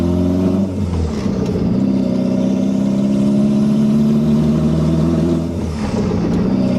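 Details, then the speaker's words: Second-gen JDM Toyota MR2 with 3S-GTE turbo swap, driving on a turbo downpipe with no muffler, after fixing a vacuum and boost leak, high idle: loud raw drone rising and settling smoothly with throttle; normal running. "everything's running right it sounds good it would sound much better with an exhaust"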